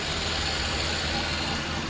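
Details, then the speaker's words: 2001 Chrysler Town & Country after replacing ignition coil number 3 (code P0353, coil 3 primary circuit) for rough, shaking idle: steady, smooth, even idle with no stumbles or shake; normal idle after repair. "Okay guys, as you can see, there's no more shaky. It's running nice, smooth."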